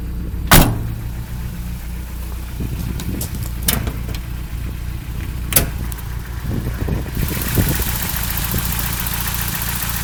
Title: 22rte Rough Idle